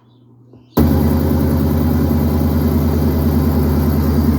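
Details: 2012 GMC Yukon Denali V8 after replacing cast-iron manifolds with Jet-Hot-coated shorty headers: catches and settles into a steady, even idle with deep low rumble, no ticks or exhaust-leak puffing; sounds same as with cast iron. Normal idle.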